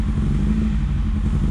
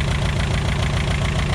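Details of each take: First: VW Scirocco MK2 ABF engine conversion with rebuilt Yamaha R1 carbs, just after first start; lumpy uneven idle with wavering low throb, idle not yet set, cause unconfirmed; uneven idle. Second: VW Scirocco MK2 ABF engine conversion on rebuilt Yamaha R1 carbs, first start; idle raised with the idle adjust screw and the distributor cap turned. Steady, slightly raised idle with an even firing beat and no misses; runs well, timing still needs fine tuning.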